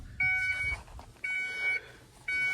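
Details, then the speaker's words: 1994 Ford F250 with key off and out: three steady high-pitched beeps about a second apart, each roughly half a second long; source unidentified, and whatever it is is believed to drain the battery. "So I gotta figure out what that beeping sound is, because the key's like off and out."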